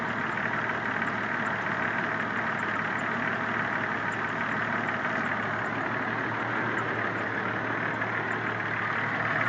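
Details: 1993 Cherokee engine at steady idle with a faint, uneven tapping around three per second in the background; owner asks if it is a knock, cause not pinned down.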